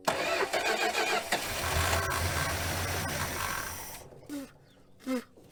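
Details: 1966 Dodge Coronet that sat 20+ years, starter jumped and two batteries tried, starting fluid sprayed. Long, labored cranking with uneven catches, then a few weak blips. Unhappy starter, hard starting after storage.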